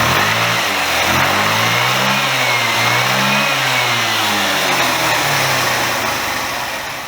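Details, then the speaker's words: Chinese GY6 125 cc scooter after an engine rebuild, with the carburetor's unknown standard main jet swapped for a 98: small single revs up cleanly with smooth rising pitch, pulls strong at the top and settles evenly; fuelling sounds right. "I switched the unknown standard jet out and took a punt on a 98, which is about what the CB runs on, and we now have much better top end performance, but it does require a road test."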